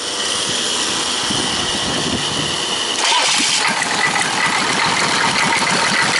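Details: 6.2L diesel V8 rebuilt and converted to a 6.5L, first start in the truck with a new starter mounting that is stronger than factory. The starter cranks, it catches in about three seconds and settles into an even diesel clatter at idle, about 30 psi oil pressure: healthy.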